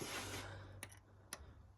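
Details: 2013 Mercedes GL450, M278 twin-turbo V8, 120,000 km: low hum with sharp ticks about twice a second from a cylinder 1 misfire caused by a burnt exhaust valve, needing a valve job.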